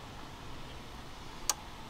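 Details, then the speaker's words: 2011-2017 Honda Odyssey radiator fan test: a crisp relay click over a quiet hiss as both fan relays click on normally, though only one of the two fans runs. "So basically right now what we have is the two relays are clicking on. I could hear them."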